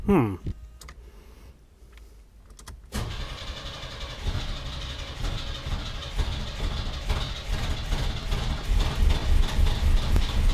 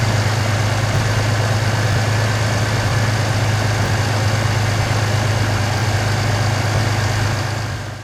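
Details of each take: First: 1991 Chevy S10 pickup, new correct starter installed, coil wire reconnected: starter cranks evenly three or four beats a second for eight seconds without grinding or thumping, but engine never fires; weak spark. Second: 1991 Chevy S10 Tahoe running after a new starter and a cap and rotor change, now running for about 5 days: steady, deep, even engine drone with no knocks, misses or squeals; runs healthy.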